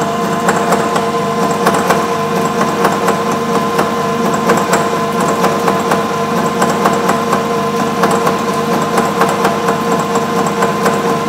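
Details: Bridgeport 1 HP R8 milling head on an American Tool Works planer mill, 5-inch face mill at 135 RPM, roughing pass: steady cutting hum with even metallic ticks about once a second and no squeal, a clean normal cut.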